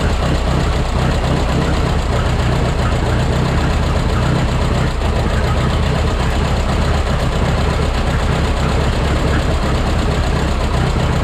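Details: Minneapolis Moline 335 tractor, engine just rebuilt: loud, uneven idle with a lumpy, irregular beat that never settles. Owner says it needs tuning, perhaps timing adjusted slightly.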